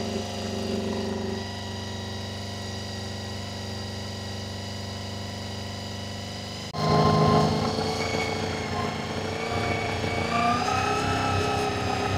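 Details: Honda VFR400 after a carburettor strip, clean and rebuild: steady multi-cylinder idle, then revs step up sharply and keep creeping higher as the carbs are balanced to the lead carb, so the idle screw must keep being turned down.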